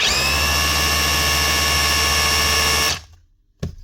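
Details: Dewalt DCH273 cordless SDS drill after chuck repair with used parts from an older DCH253, free-running test: steady high motor whine, smooth even gear mesh for three seconds, clean spin-down; gears healthy.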